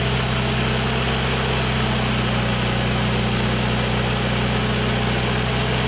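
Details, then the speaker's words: 1995 Genie Z45 lift engine idling smoothly under platform control after a wiring fix; the fuel pump now holds a healthy 13.2 V instead of 11.8 V, curing the stalling with no parts; steady, even idle. "Okay, so his stalling problem is fixed for good. That fuel pump is getting nice, healthy voltage when it's supposed to."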